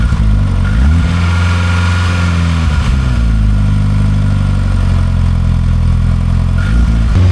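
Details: VW turbo engine swapped into a Toyota MR2, first start after installation, oil pressure light out, engine code present: smooth low note rising and settling with a couple of light blips, no knocks or rattles; normal running.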